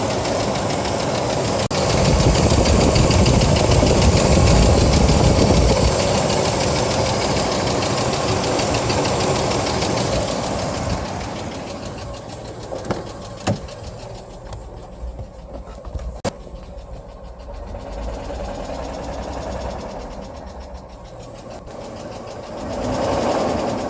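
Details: 1997 GMC Jimmy petrol engine idling with a steady, fairly quick knock, about four beats a second; the knocking began after driving through a puddle in a rainstorm and persists after sitting for days.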